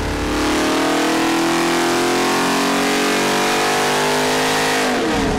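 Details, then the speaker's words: Ford 427 stroker built on a Boss 351 block, broken in, on the engine dyno with a 1-inch spacer and 31° timing: a crisp note climbing smoothly under full load to about 598 hp, then dropping off. Normal full-power pull. "That made a lot more power. That sounded pretty good."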